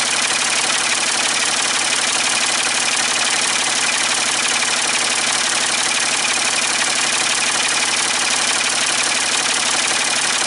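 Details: Ford 550 TLB backhoe, 3-cylinder diesel, after reassembly and injector fuel bleeding, cool day: even, rapid idle clatter, steady, no misses or knocks; running healthy, only a small injector return-line drip.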